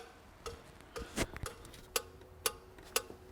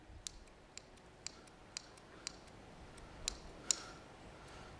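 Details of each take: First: 2002 Renault Master 2.2 dCi with no power, no fault codes and lots of black smoke: sharp, evenly spaced ticks about twice a second as the EGR valve steps through its cleaning cycle properly. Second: 2002 Renault Master 2.2 dCi van with no power and black smoke, EGR valve on its cleaning cycle: faint, evenly spaced clicks about twice a second as the actuator tries but fails to push the piston; EGR valve actuator completely dead.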